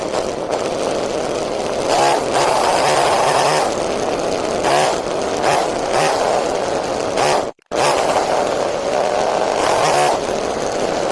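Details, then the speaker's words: Homelite chainsaw two-stroke being carburetor-tuned: uneven buzzing surges with a rough rattly edge as it revs; owner says the centrifugal clutch and its shaft need lubrication because it's chattering, and the starter clutch needs lubricating too; clutch chatter suspected. "Not the starter clutch, that needs to be lubricated too, but the centrifugal clutch also needs to be lubricated. Like the shaft that the engine spins in, that needs to be lubricated because it's chattering."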